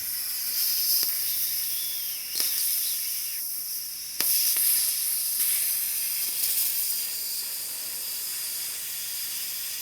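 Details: Workshop air compressor tank drain during service: hissing air and water surging, fading and spitting in uneven bursts instead of normal steady flow; owner suspects ice particles partly blocking it, not confirmed.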